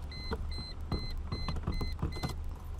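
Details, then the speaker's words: 2005 Chrysler Crossfire SRT6 3.2 supercharged V6 after fuel pump and fuel filter replacement, key cycled to accessory: short high-pitched hum bursts with light clicks; fuel pump priming normally before starting. "turn it back off and I can hear the fuel pump priming and There She Goes"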